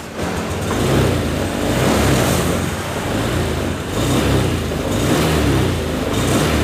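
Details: Honda Scoopy FI, about 2022, K0J engine: revs swell and sag unevenly with a flat, stumbling pull at low-to-mid throttle. Hesitation; injector, throttle body and filter cleaning plus an ECU reset are planned.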